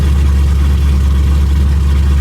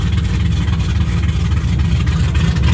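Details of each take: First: 2006 Mustang GT V8 just after an engine rebuild with new mods, first start running rich: very loud, deep, steady idle rumble with booming lows, open headers with no mufflers. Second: 2006 Mustang GT V8 on first start after an engine rebuild with new mods: ran really rich, loud lumpy rumble that evens out into a smooth, settled idle.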